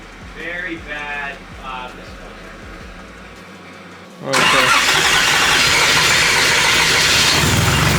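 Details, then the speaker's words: Nissan 350Z with swapped-in custom-built turbo 1JZ-GTE engine, first start-up under light throttle: runs rough, stumbling and popping, a very bad misfire; later changed from wasted spark to direct ignition. "what it sounds like you're trying to starve so you wanna change it feels like there's a very bad misfire"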